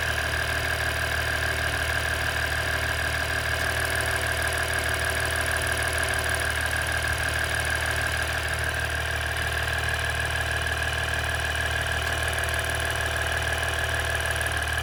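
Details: 2017 EcoDiesel at idle: steady diesel idle with a light, fairly regular ticking about two per second over a thin steady tone; cause unknown.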